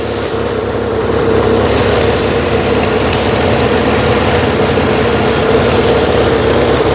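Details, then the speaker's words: Yamaha XS1B twin during carb and ignition tuning, after choke: holds a fast, steady buzzing idle well above normal with no throttle, even and unwavering; idle too high after carb work, to be turned down before checking timing. "So what I'm going to do is just idle it down, and then we can see what the timing's doing."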